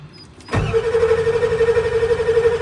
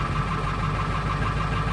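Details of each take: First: 1995 Ford F-250 7.3 Powerstroke diesel in cold weather: starter whirs steadily with about three compressions per second, smoking but never catching; crank no start, glow plugs not coming on, glow plug relay suspected bad. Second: 1995 Ford F-250 7.3 Powerstroke diesel, cold weather crank-no-start with glow plug relay suspected bad; after jumping the relay posts about 10 seconds it fires and settles into a steady, even diesel idle.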